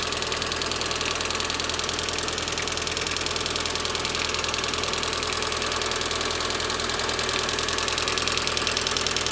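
Steady idle with a crisp, regular metallic tick on top, roughly two a second and not changing, typical of collapsed hydraulic lifters.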